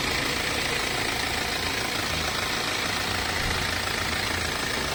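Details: BMW 318d E91 with N47 diesel at idle, a fast fairly regular metallic rattle of about three to four beats per second beneath the diesel clatter; owner asks whether it is timing chain noise, unconfirmed.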